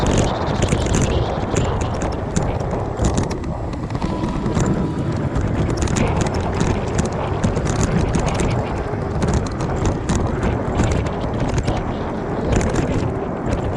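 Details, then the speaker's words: Aipas A2 Elite bike front fork while riding over bumps: irregular metallic clanks and rattles. The fork leaks grease, has no cushion or rebound and runs metal to metal; fasteners were already tightened. Worn front suspension fork. "And obviously because all the grease is out of it now, and it's just metal to metal and clanging."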